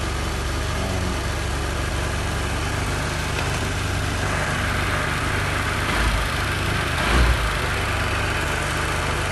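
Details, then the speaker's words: Honda Vario Techno 110 scooter that had been hard to start, now running after its fuel tap was replaced: steady, even idle with a low throb and no misses or knocks. "Ini motornya udah hidup, ya, motornya udah hidup karena udah kita pergantian kerannya."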